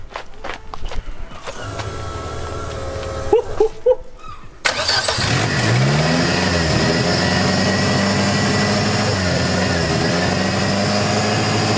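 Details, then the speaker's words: Zetec turbo van, third start, started from inside cockpit with fuel pump priming: crank, catch and quick flare, then steady even idle with no knocks or misses; everything working as it should; normal start and idle. "It sounds insane, and everything's working as it should, which is all right."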